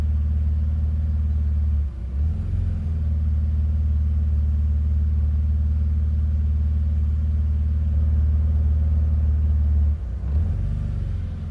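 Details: BMW Z3, cold engine: deep uneven idle rumble with two clear stumbles where the idle sags and recovers; rough cold idle.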